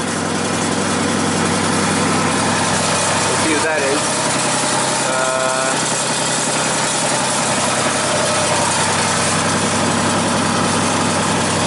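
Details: 2001 Genie S-40 diesel boom lift that starts and then shuts off after about four seconds, being diagnosed: steady, even idle with no misses, knocks or squeals; the engine sounds healthy.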